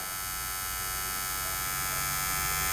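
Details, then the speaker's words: 2022 Benelli motorcycle's electric fuel pump, freed with WD-40, bench-tested: steady, even electric buzz of constant pitch for nearly three seconds, motor spinning freely; normal fuel pump running. "Let's see if it spins now. Oh yeah. Look at that. That sounds pretty darn good."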